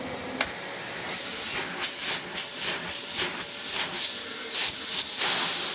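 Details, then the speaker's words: Dyson vacuum with a missing back pedal, a sticking valve and a cracked brush-roll end cap. A high airy rush swells and fades irregularly, about twice a second; same abnormal noise as another Dyson, brush roll otherwise fine. "give us a run makes the same noise that mine did brushroll seems fine"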